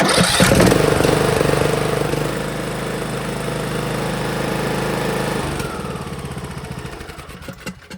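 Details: Craftsman T130 with an 18.5 hp Briggs & Stratton engine, a crank-no-start fixed once the fuel was turned on so the fuel solenoid opens. It catches right away and runs steadily with a regular firing beat; healthy.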